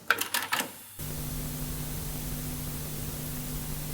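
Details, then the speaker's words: Cassette deck line output with Dolby off, playing a new blank chrome type II tape: after the play keys clunk in, a steady hiss with low hum far louder than when stopped; a high playback noise floor. "When the deck is stopped, we are not playing yet anything. If you hear a little difference or anything at all, you you can tolerate that definitely. So that is not an issue. And if I press play, you will hear a lot of noise."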